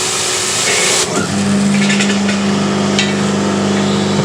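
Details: Diesel-heated electric pressure washer during repair: the electric motor starts and settles into a steady, even hum of constant pitch, with no surging or sputtering. The pump now runs and delivers water normally; the burner is still not working.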